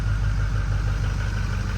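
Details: 2005 Ford F250 6.0 Powerstroke diesel that ran rough, then would not start: after priming and refilling the tank, it settles into a steady, deep, smooth rumble; the no-start was fuel starvation from an empty tank.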